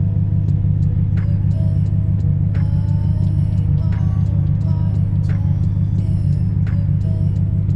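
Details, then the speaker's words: BMW N62 V8 (4.4/4.8 L) idling before VANOS solenoid cleaning, plugs replaced and coils checked good: deep steady idle with slightly uneven loping pulse and faint ticks; rough, choppy idle, cause not confirmed; cleaning didn't fix it. "it's a little choppy you can't really see it maybe you could hear it but yeah I just don't like it"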